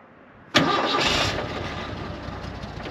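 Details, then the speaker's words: Jeep J-10 swapped to Ford 300 cu in inline six with five-speed manual, started after rewiring a connector following a no-start; brief crank, catches at once, smooth steady idle with no misses or knocks, shuts off with the key. Normal start and idle. "running for the turn of a key and it shuts off that's always a bonus"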